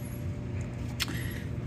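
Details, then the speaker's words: Antique Magic Chef 20 lb dryer: horrible clanking, banging, rumbling that continues after switch-off, from the blower wheel spinning loose on its shaft, giving poor airflow. "his antique Magic Chef dryer 20 lb capacity oo anyway was making horrible clanking banging noise rattling rumbling whatever you want to call it and when you turn it off the noise continues for a little while that usually means your blower wheel is shot which is basically spinning loose"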